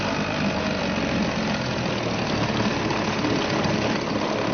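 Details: Suzuki DT 2.2 HP two-stroke outboard ticking over in a test tank after a fresh start, choke off, cooling water flowing; steady even smooth low drone, no misses or knocks, idling cleanly.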